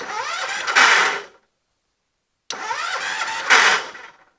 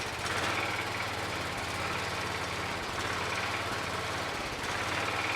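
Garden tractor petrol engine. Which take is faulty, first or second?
first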